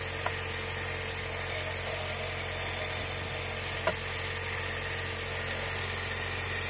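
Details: Mercedes M111.945 engine, strange noise at high rpm: steady hum with high whirring hiss; cause was the belt tensioner pulley bearing, fixed by replacing the tensioner roller.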